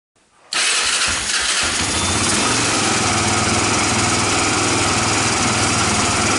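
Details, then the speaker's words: 1995 Honda ATV quad after starter solenoid replacement, fed from a temporary funnel to the carburetor while tank soaks: catches at once after a short crank and settles into a steady, even buzzing run; normal start and run. "Woo! All right, guys. We proved that's going to run."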